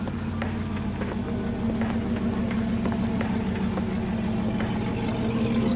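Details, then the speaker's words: 1964 Oldsmobile Super 88 V8 running after new spark plugs, fuel filter and fuel pump: steady, even rumble with no misses, knocks or surging; running really well, noticeably better than before. "new fuel filter new fuel pump um it's running really really good"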